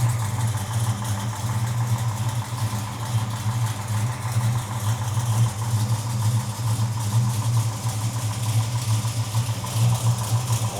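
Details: 1972 Dodge Charger V8 just after alternator replacement: deep, even idle with mild swells in speed and no knocks or belt squeal; healthy, charging 13.9–14.8 V on throttle.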